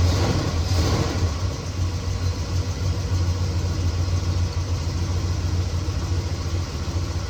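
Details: 1969 Chevelle SS big-block V8, sat 37 years, restarted after loose spark plug terminals were tightened: lumpy, uneven idle instead of a smooth rumble, better than before but still rough; possible misfire, owner will heat-gun check header pipes.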